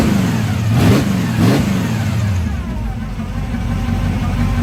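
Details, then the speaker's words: Carbureted Camaro V8 with electric fuel pump, owner asks whether it's cammed, before fitting an aftermarket throttle and kickdown cable bracket: two sharp throttle blips rise and fall cleanly, then it settles back to a lumpy but even idle; normal, healthy revving. "Alright, so now that you've heard this beast and all of its madly horsepower, we're going to be putting on this little adjustable bracket so I can have the power that you guys hear at the pedal, the pass."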